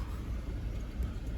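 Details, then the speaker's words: 2007 Toyota Sequoia 4.7L, jump-started after a dead battery and no-start; low, uneven, lumpy idle running a bit rough and low, suspects the IAC/throttle body is dirty and needs cleaning. "That's idling a little bit rough and a little bit low, so that tells me the IAC may need to be cleaned."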